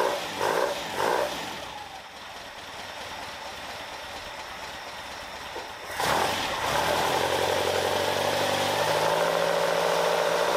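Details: Caterham Super Seven after jet dropped from 60 F11 to 45 F9 with smaller venturi: few blips, then steady even idle without popping; response sharp, vibration much reduced, backfires gone.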